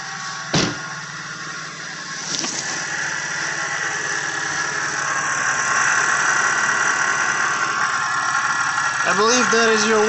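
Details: Audi A7 (C7) supercharged engine idling: a steady high whir or whine over the hum, suspected from a worn water pump, with noise also noted from the supercharger idler.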